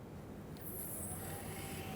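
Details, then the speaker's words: 2007 Hummer H3 3.7L 4WD automatic, rear brake bleeding with pedal held and pump module activated, bleeder opened: steady low electric drone with a high whine partway in, the ABS pump running normally, pushing brake fluid. "Now at this point here, what's happening is the pump is actually pushing fluid."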